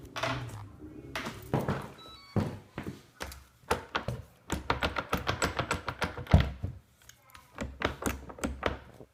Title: Swegway / Hoverboard Faulty Jerky and Creaking Noise